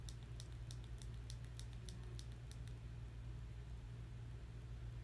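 Crisp light clicks, about two a second, over a low room hum; this home button has a normal, healthy click.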